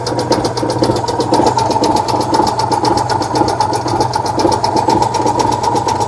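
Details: 1966 VW Type 3 Fastback air-cooled flat-four just fitted with new dual single-port 34 carbs replacing factory carbs: quick, even ticking clatter over a steady low hum, no misses or stumbles; normal idle.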